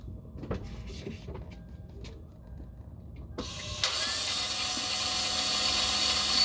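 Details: 2003 Toyota 4Runner 4.0L with original starter at 408,465 miles; sudden high steady whir with no cranking rhythm, the starter spins freely without engaging the flywheel and the engine won't start.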